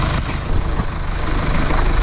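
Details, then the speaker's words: 2017 Mercedes E220d, 2.0 diesel OM654, after camshaft and rocker arm replacement to cure a knocking complaint: steady low idle with an even rumble, no ticking or knocking, quiet valvetrain; normal, running perfectly. "as you can see everything is now running perfectly no knocking noise coming from the engine and the car is ready to be handed over to the customer now"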